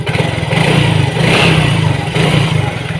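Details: Yamaha Mio GT injected scooter, earlier hard-starting and stalling at idle, after injector replacement and CO trim 7%, 1300 rpm. Steady low thrumming idle, quick blip and even return, no stumbling or dying; normal idle.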